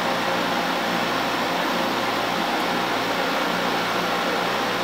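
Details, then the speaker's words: LG LHD659BL dehumidifier found in the trash, switched between high and low fan speed: even, steady compressor hum with fan airflow, vibrating but no knocking or rattling; compressor and fan run mechanically normal. "we'll turn it on as you could hear that's the high speed that's low speed so the compressor is running and the fan is right"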